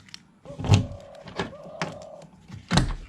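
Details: Tata Sumo Gold door after fixing central lock and tightening with cable ties; crisp thunks with short motor whirr as it locks and unlocks cleanly, no rattle; lock works properly.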